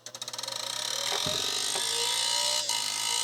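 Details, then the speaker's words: Quantum SCSI hard drive in a Mac IIsi that chimes at power-up. Faint accelerating ticking settles into a thin, high whine that never steadies; the drive is trying but failing to spin, later opened to inspect: hard drive failing to spin up. "this hard drive is not working though it is not working not even spinning i hear trying it's trying to spin come on let's hit it making weird noises"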